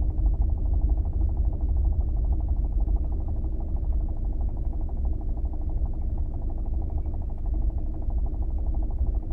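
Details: New Kia Optima, engine running steadily. A fast, light, uneven tapping rides over the low hum; the official dealer claims the knock is a normal feature of the engine, and the cause is not pinned down: engine knock.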